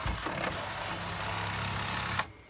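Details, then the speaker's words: Pioneer CLD-V850 laserdisc player: a dry scraping rub for about two seconds as the laserdisc tray ejects, then stops; owner suspects something sticking up slightly is rubbing the tray. "that rubbing you here, I think I've got something sticking up just a little bit."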